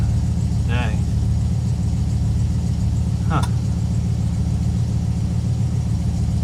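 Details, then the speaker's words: Dodge Charger, 318 V8, after replacing the voltage regulator: steady starter churn at roughly 3.5 beats a second that never fires. It cranks but won't start; the cause is not found and the owner wonders if the wires were chewed. "not too sure where else to look maybe the wires been chewed on huh the hunt goes on i guess"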